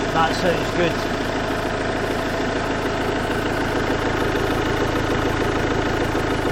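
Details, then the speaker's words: 2017 Iveco Daily Gen 3 2.3 diesel idling after engine removal and crankshaft tone ring repair (damaged ring caused engine light), clutch refitted: steady, even idle with soft regular clatter, no knocks or bangs, nothing dripping; healthy running. "hear any knocks, don't hear any bangs."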